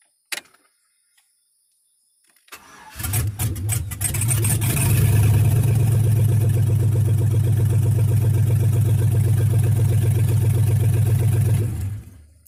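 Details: 4.8 LS engine being prepared for a swap into a 1991 Jeep Grand Wagoneer; after trimming the ECU harness and repairing two cut wires, a short crank catches quickly and settles into a steady, even, deep idle with no misses or knocks.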